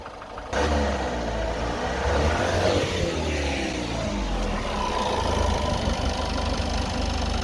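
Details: Citroen Relay diesel van at 12,800 miles, knock since about 4,000 miles, worse as the engine warms through the day, recorded from the front after a rev: heavy uneven idle with a dull knock under the clatter, worsening the longer it idles.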